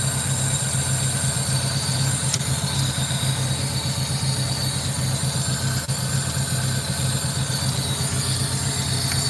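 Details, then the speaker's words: 2007 Honda Civic 1.7 L with misfires on cylinders three and four, suspected bad ignition coil packs; at idle a low throb stumbles unevenly with irregular beats over a hissy background, and a massive air leak is suspected. Rough idle misfire. "So definitely something having massive leaks somewhere, but not liking me too much right now."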